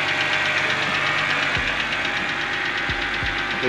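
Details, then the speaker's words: Wrecked BMW 325i E90 rebuild, first cold start after sitting a while in a driveway: a quick, light ticking over a smooth idle, keeping pace with the engine; oil is present, owner suspects it's from being cold, cause unknown. "ticking probably because it's cold I don't know if it didn't tick before I don't know if you guys could hear it I don't know if you guys could hear me but you could hear the car ticking TI tick tick TI tick tick"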